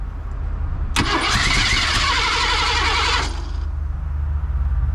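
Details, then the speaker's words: 1987 Ford F150 converted from EFI to a carburetor and HEI distributor: short crank, then it catches with a roar and settles into a lumpy, stumbling idle from several vacuum leaks. "let's hit it come on baby I got a bunch of vacuum leaks like"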